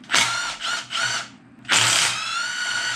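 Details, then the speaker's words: Alternator removed from a junkyard truck LS engine being torn down, spun by hand: gritty, rasping whirr fading as it slows; worn, grinding alternator bearing, to be used as a core. "On a side note, I don't know if you could hear that. There's a lot of angry grinding in that alternator. So, I'll probably just use this as a core and not really worry about this thing too much."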